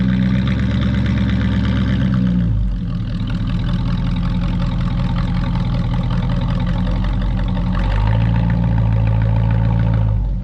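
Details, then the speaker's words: Square-body truck driving home: a steady, even engine note with a deep smooth pulse and no stumbling or cutting out. Normal running. "we were able to drive home no problem no cutting out no nothing"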